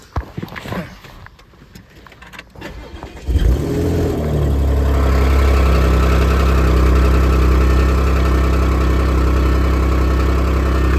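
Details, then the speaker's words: 2014 Audi S5 APR Stage 2, 131,714 miles, replacement engine, resonator delete: cold start with loud rough idle and fast puffing from an exhaust manifold-to-head leak, quieting as it warms. "This has an exhaust manifold leak between the exhaust manifold and the head. Whenever I go to start it, will be a little noisy, but I want you to hear exactly what it sounds like."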